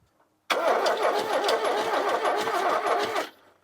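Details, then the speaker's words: Ford Courier that sat 30 years, new battery ends and heavier starter switch, ignition disconnected: brisk cranking for about three seconds, much faster than before, with a lopsided gallop because one spark plug is out of its cylinder. "that's a lot better and you hear that gallop normally that little would tell you that something's wrong with this engine that's just there because one of the spark plugs is out but that's spinning over much better"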